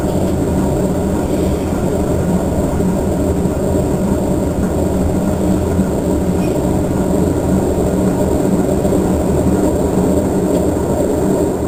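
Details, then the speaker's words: Three-year-old 2008 Whirlpool Cabrio washer in high-speed spin, load evenly distributed: heavy continuous rumble and jet-engine roar throughout the spin; owner suspects bad bearings and a bad tub. "rev up in jet engine here bearings are bad the tub is bad it just make all kinds of racket here we go there we go again"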